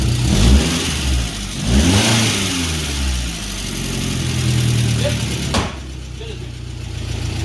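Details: VW Beetle run after replacing an oil pan broken by bottoming out, with an exhaust leak audible and some earlier clatter: the engine picks up cleanly on throttle blips and settles smoothly without knocks; engine judged not to need replacing.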